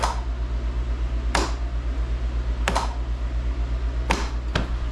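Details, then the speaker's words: Craftsman GTS5000 Kohler mower after a bad PTO switch was found: sharp metallic clicks over a steady engine drone as the electric PTO clutch engages normally. "and that's what you'll hear a good old audible click what that means is that's engaging the PTO"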